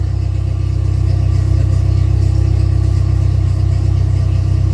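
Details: Dodge Neon mini-stock race car, first start in about two years: steady, even idle with a smooth low pulse about four per second and no knocks or misses; charging with lots of oil pressure; healthy.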